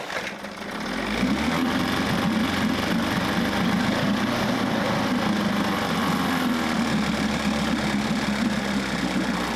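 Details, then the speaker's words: Fires within a second into a fast, even buzzing idle, no stumbles: 1994 Johnson 6hp outboard with thermostat removed now runs much cooler, pumping good water and idling well; thermostat to be replaced. "Much cooler now, so I think I just need to replace that. I'll order that. Pumping good water. It's actually idling really good too."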